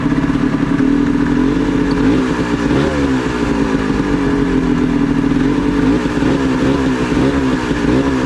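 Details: Previously seized Ski-Doo Mach 1 700 triple-cylinder two-stroke, just revived: it burbles unevenly and the revs hunt instead of settling. This is a rough idle; the owner is adjusting the idle and throttle, and the cause is unconfirmed.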